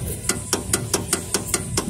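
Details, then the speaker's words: 2012 Renault Logan, front steering worked from a standstill: sharp regular knocking four to five times a second from a worn steering tie rod end, which must be replaced. "é isso aqui tem que trocar a ponteira tá vendo o desenho dela aqui como é que ela ela tá trocar ponteira"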